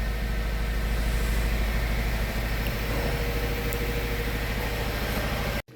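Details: 2018 Subaru Forester 2.0 turbo petrol idling with a lumpy, uneven, stumbling low thump: misfire on cylinder 4 (code P0304, check-engine light on), engine also blowing heavy white smoke.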